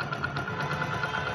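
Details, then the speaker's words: 1999 Hero Honda Splendor Plus, after repair of a noise from the magnet side of the engine: single-cylinder settles to an even steady idle with light regular tick and no rubbing or scraping; engine now runs freely. "अब आप देख सकते हो बिल्कुल office नहीं आ रहा है इन जो है वह बिल्कुल फ्री चल रहा है"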